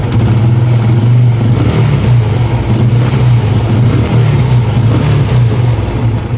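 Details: TVS Apache RTR 160 after replacing the timing chain tensioner assembly to cure engine noise: steady, even low idle with a smooth beat and no rattle or ticking on top; engine running healthy.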